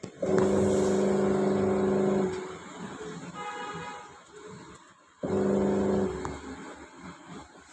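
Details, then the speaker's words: Panasonic Active Foam 8 kg washing machine, gearbox replaced about 10 days earlier: steady droning motor hum in on-off agitation bursts about two seconds each. Noise persists after gearbox swap; motor also faulty. "Motor में भी आवाज़ है। आवाज़ आ रहा है, motor का आवाज़ आ रहा है। गियर बॉक्स तो हमने रिप्लेस कर दिया है, इसमें मोटर भी ख़राब है।"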